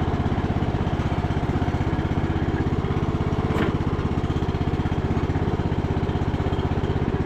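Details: Revived MTD Bolens riding mower, not run for a few days, started on choke with little fuel: even, steady putter of about three beats a second, no misses or knocks; idling smoothly and healthy.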